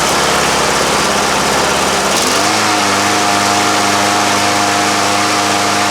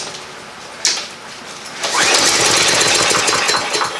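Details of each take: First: Free walk-behind lawn mower, spark plug reused, a little gas added and primed a few times: catches at about two seconds and settles straight into a steady, even drone with no misses or hunting; needed no repair. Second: Free lawn mower that won't start, starting fluid test: one sharp pop then a weak ragged two-second sputter that dies away; won't keep running, next step draining the gas and cleaning the carburetor.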